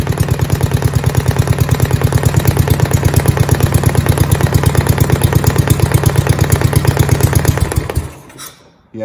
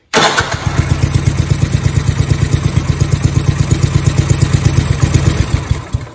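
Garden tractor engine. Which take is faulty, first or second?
first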